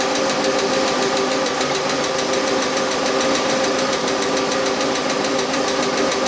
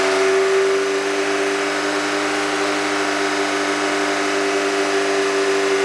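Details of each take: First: Car that mostly sits, idling as Rislone engine treatment is added: light, sharp tapping about four to five per second over quiet hum; hydraulic lifter/lash adjuster tapping, which went away after treatment. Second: Car engine idling after Rislone engine treatment was added while running: smooth, even idle with a steady hum and no tapping from the top end; the hydraulic lifter noise is gone.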